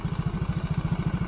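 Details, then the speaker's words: Yamaha motorcycle single, cylinder block with a steel Takayama liner replacing the original: idle beats quickly but rises and falls, never settling; engine still smooth; owner suspects it is still tight. "cuman ini yang saya rasain ya mesin masih halus cuman nah naik turun dia kentol jadi ini suaranya langsamnya belum stabil jadi kayaknya masih seret"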